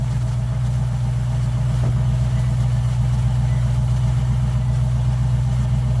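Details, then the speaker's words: Car "Suzie" idling steadily with a deep, slightly lumpy, loping beat of about four pulses a second, no misses or knocks, after a new starter was fitted. Owner says it sounds like a roller cam. It fired right up; normal idle. "You heard it, it sounded like it had a roller cam in it. But hey, Suzie is running. She fired up right away, no problem."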